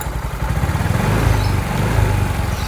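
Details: Yamaha Mio i 125 after GRacing 5.6 stage 2 cam installed with valve clearance set: even low putter at idle with casing rattle from loose screws but no valve tick; cam runs quiet and healthy.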